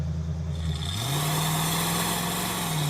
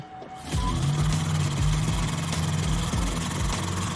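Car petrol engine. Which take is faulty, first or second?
second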